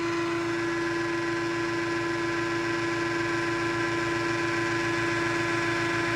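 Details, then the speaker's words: Nugier 100-ton hydraulic press: steady even hum with constant mid-pitched tone and soft regular pump pulse, no knocks or squeals; motor healthy. "It sounds good. Motor sounds good. No weird noises."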